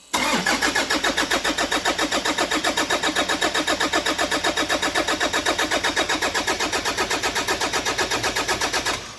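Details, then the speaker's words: 2013 Toyota Prado 150, over 300,000 km, new long motor and turbo fitted, first start with one connector deliberately left unplugged: starter turns steadily about four beats a second for nine seconds, never fires; crank no start. "And if you miss one plug, bada bing, bada boom, that's what's going to happen."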